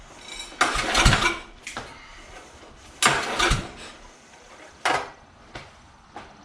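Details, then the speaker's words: Exmark 36-inch commercial walk-behind mower with electric start, muffler off and choke stuck: long cranking bursts with uneven compression pulses but no firing; cranking with compression, no start. "you can hear it's got compression. I don't know."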